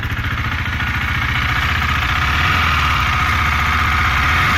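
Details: 2018 KTM Duke 390, 8500 km: light, quick metallic tick over the single-cylinder exhaust beat, noticed for 4 months, clearer on deceleration; source not identified.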